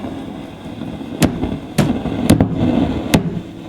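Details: Fender Twin Reverb reissue amplifier, normal channel: sharp irregular crackles and pops burst from the hum each time the cabinet is thumped, vanishing with volume down; suspected loose internal connection, possibly valve V1, before repair.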